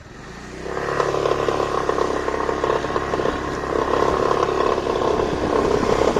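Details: Brand-new Kymco X-Town 300i scooter with 500 km, accelerating: irregular light rattle over the rising engine note, traced to the power-capacitor cord behind the plastic cover under the handlebar; disconnecting the cord fixed it.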